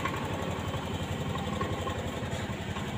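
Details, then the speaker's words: 2022 Honda Scoopy scooter that smokes white and uses oil: idling with an uneven crackling 'kretek' rattle about four per second from the CVT side; cause unconfirmed. "untuk di bagian CVT nya itu bunyi retak-retak kretek kretek kretek ya ada bunyi kretek kretek kretek ketek ketek ketek itu penyakitnya di bagian sini ya"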